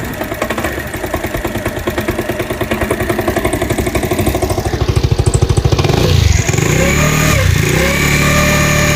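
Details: New-body fuel-injected Cappuccino 50 scooter after moving the pickup sensor away from the magneto: rough uneven pulsing run with a rattle building as revs climb, strange noises and smoke.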